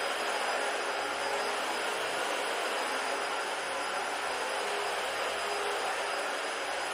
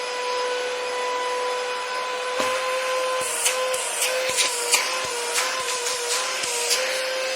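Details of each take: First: Dyson DC-40 vacuum found in the trash, tested on old carpet; steady even roar with an airy hiss, only slight suction noise and no screaming whine; normal running. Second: Dyson DC-40 vacuum found in the trash, motorized brush roll running; a steady high whistle over the motor hum with scattered clicks, falling in pitch as it spins down; owner thinks the post-motor filter makes the sound.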